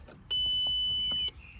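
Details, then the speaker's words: VW Passat: single steady high beep about a second with check oil level warning, false alarm caused by faulty sensor in bonnet catch not detecting properly. "now check oil level. That is due to an issue with the bonnet catch. There's a sensor in it and it's not detected, it's not working properly, so it detects that there's something wrong."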